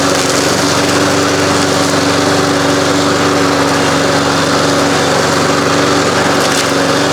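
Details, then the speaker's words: 1993 Toro Recycler II mower with Briggs engine, revived after no-spark repairs of ignition coils and flywheel, mowing under load: steady, even high-pitched buzz holding speed with no misses or surges; running healthy. "Outside of my 1985 Mercury 20 horse outboard motor, this mower has been about as frustrating a job as I've done in a long time. I can't believe it's running."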